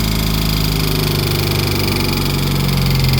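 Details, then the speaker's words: 2003 Mitsubishi Eclipse (3G) idling with the alternator and A/C belts removed. A fast, uneven rattling tick persists. The noise appeared after water pump and belt work, and a damaged timing belt tensioner is the suspected cause, not yet confirmed. "Bueno pues Miren esta pieza de aquí se llama tensor Sí el tensor que trae el carro está dañado y puede ser el factor que hace ruido no lo sabemos"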